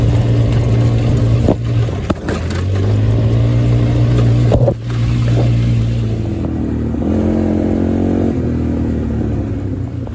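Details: Hammerhead GTS 150 go-kart GY6 engine after a 155–160 big bore kit, geared low, now with no smoke. Revs freely and climbs cleanly with an even note, no knocking or stumbling. Normal running, pulling well.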